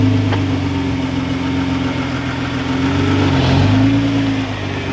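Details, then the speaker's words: 2014 Nissan GT-R R35 at idle while shifting between park, reverse and gear: a faint uneven driveline rattle from the actuators, bell housing and transmission engaging; normal dual-clutch engagement noise. "so it's pretty common for you to hear a lot of drivetrain noise within the car when you shift from gear into park or park to reverse or anything like that you're gonna hear the actual actuators doing their thing"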